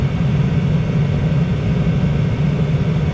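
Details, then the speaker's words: Diesel heater (Vevor-type) run with its exhaust pipe removed entirely to test a viewer suggestion: deep, even combustion roar with no surging or popping, seems stabilized; exhaust suspected as cause of instability, not confirmed. "maybe the exhaust does have something to do with it sounds like it's stabilized to run it for a few minutes like this"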